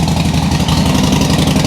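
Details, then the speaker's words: 2007 Harley-Davidson Sportster 1200 Custom, in neutral, first start after a no-crank fix: lumpy, uneven V-twin idle, steady with no clatter or misfire; charging checked at 13.4–13.5 V, ruling out stator or rectifier. "Sounds good. 13.4 13.5 So it is charging."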